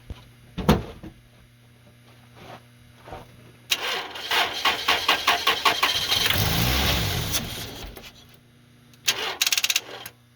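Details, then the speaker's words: 2000 Toyota Celica, 242,363 miles, run on starting fluid: engine coughs and catches in uneven bursts, runs ragged a few seconds and dies, very hard to keep running and blowing heavy smoke; a loose ignition ground bolt was later found. "i got it to run it was very hard to keep running it was blowing smoke like crazy"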